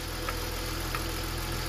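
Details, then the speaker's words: BMW M54 petrol engine at idle, crankcase breather (PCV) check with the oil filler cap put back on: an even, smooth idle with no misses. Removing the cap makes it run rough and the cap is lightly sucked in, showing the breather is sealed and working. "Jak tylko go przyłożę, jak tylko przyłożę korek, silnik zacznie znowu równo pracować."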